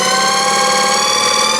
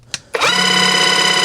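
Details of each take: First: Battery-powered airless paint sprayer on setting one. Smooth, steady motor whine climbs in pitch, holds, then drops back before spinning down; the motor runs normally. Its intermittent failure to prime or spray comes from the one-way ball valve under the cup filter. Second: Battery-powered airless paint sprayer switched on: a loud, steady buzzing motor hum with a high whine, and no priming or spraying in any switch position. The pump won't prime because the one-way ball valve under the black filter in the cup sticks.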